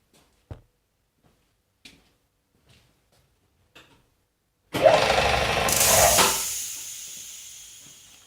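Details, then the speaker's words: Restored air compressor on test run with a small can silencer fitted: sharp pressure-switch clicks, then a loud unloader dump-valve hiss fading over seconds; appears to work normally, still to be checked. "I did see the the pressure relays click on and off and I did hear hissing coming out of the dump valve so I presume it's running okay but I need to double check on things"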